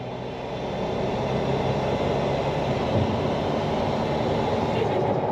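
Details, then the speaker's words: 2011 VW Caddy Maxi 1.6 TDI with a Stage 3 turbo, EGR delete and gutted DPF, pulling at full throttle in fifth gear under 2000 rpm; a rough, fluttering chuff from compressor surge. "if I'm under 2K RPM you can hear it and that's Full Throttle right now you can hear it um compressor surging"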